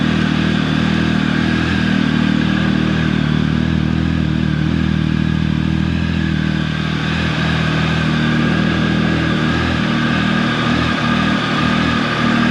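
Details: Triumph 1050 motorcycle, about 14 years old, cold start at about 48-49 degrees: steady, even high idle with light mechanical clatter, no misses or surges while warming. Normal cold-start high idle.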